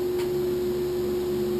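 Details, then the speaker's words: Modine hydronic unit heater fan turned down on its variable speed controller, which makes it quieter and blows hotter air: a steady, even hum with a clean mid tone and no rubbing or rattle, a healthy fan after the leak repair. "And when I turn it down, not only is it quieter, it also blows hotter air because it's moving slower."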